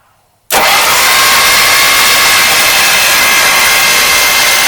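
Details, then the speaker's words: 1953 Oldsmobile Rocket Super 88 barn-find engine, valve covers off and spark plugs removed, cranked by starter: abrupt engagement then even, fast whirr without compression pulses; turns freely, loosening up gradually. "I have the spark plugs out of it so we can turn it over just a little bit faster than we could before obviously it's not as fast as when it's running"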